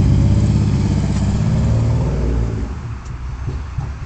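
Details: Vauxhall Vectra V6: lumpy, uneven running with an irregular low chuffing beat as revs fall, a misfire. The owner suspects a cylinder problem from fueling and lack of air intake, and it looks like the engine will come out again for a full recondition.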